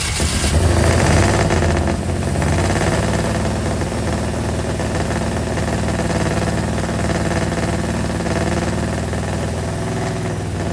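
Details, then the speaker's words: Square body Chevy 350 small block, running again after six months, starter mounted on a stud, rewired to firing order 18436572 and timing set: steady, even V8 idle with smooth low rumble, no misfire, backfire or knock. Normal idle. "Man, does it feel good to hear that sound again? Well, well, well. She finally runs again since last November, which is 6 months at this point, half a year already."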